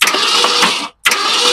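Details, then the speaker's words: Long-abandoned 1966 Ford Ranch Wagon ambulance conversion, engine previously stuck: two even bursts of starter cranking, smooth and quick with no binding, as the engine is bumped; it now spins freely. "Oh yeah, it's spinning nice and freely now. Oh yeah, >> we're spinning nice and easy."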